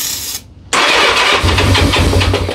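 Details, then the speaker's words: 1982 Honda Goldwing (GL1100) built from barn-find parts on a parts-bike frame, first start attempt on a small jump box: starter cranks evenly but the engine never catches. Crank no start, cause not confirmed; it fired once a bigger jump box was used. "At least if she cranks. Well, if she cranks. Cranks pretty good. We got crankage."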